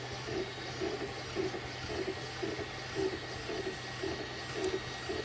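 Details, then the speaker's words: Glowforge laser cutter with Air Filter Attached setting enabled, rear fan disabled, heard from the front: low steady machine hum with a soft blip about every 1.5 seconds, maybe slight fan noise, no loud fan rush; normal running. "There might be some kind of little fan noise."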